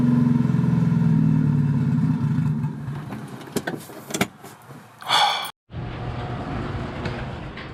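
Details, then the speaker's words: 1999 Honda Civic turbo D16Y8 after new thermostat install (overheating issue): uneven idle sags and fades without throttle, then dies; won't hold idle. Owner suspects fuel pump; main relay tested without effect. "The car does not stay running, as you can tell in the video."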